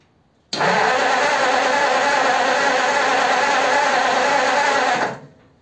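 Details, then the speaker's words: 1933 5-window coupe, crusty flathead, parked nearly 3 years: steady starter cranking about three turns a second for five seconds, never firing, during a spark test; no spark seen, distributor to come out. "Okay, I just looked at the footage, I couldn't see a spark, so I think I need to get the distributor out"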